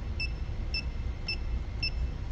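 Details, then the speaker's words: Klein Tools ET310 circuit breaker finder receiver scanning an energized panel: five short evenly spaced high beeps about every half second over low hum; false beep caused by bumping the receiver. "was a false where I had bumped it"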